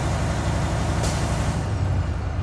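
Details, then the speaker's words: Truck air brake check: engine held near 1,500 rpm to build air; steady low diesel idle with a short sharp air burst as the compressor governor cuts out between 120 and 140 psi; normal. "Now, since that happened, I'll look at him and say, between 120 and 140 psi, sir, my air compressor governor kicked out."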